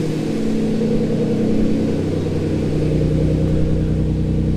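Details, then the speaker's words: Twin-turbo Ford Capri, rich, ECU pulling timing to lower idle; steady, fairly fast idle with an even drone and no hunting, still above target. Throttle set screw too high, being adjusted down. "yeah so he's trying to pull you want me to tell from that trying to pull timing out to lower the idle so my set screw is definitely too high try that"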